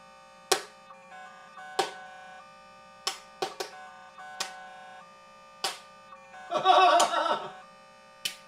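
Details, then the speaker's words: Noisy dial-up handshake: internal modem on a Pentium II Windows 98 SE PC, dialing out over a noisy POTS landline; modem tones and chirps with a hiss burst over a steady low hum, rhythmic; the connection sounds rough. "Oh, it's so noisy. Y'all hear that? Sounds bad. It's got a rhythm to it, though."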